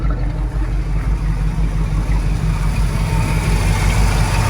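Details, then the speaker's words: 1979 Ford Super Cab 4x4, 460 V8 with 4-barrel carb and dual exhaust: deep, even big-block burble at idle, steady beat, no misfires or ticks; owner says it purrs like a kitten; healthy idle. "mean, it just purrs like a kitten."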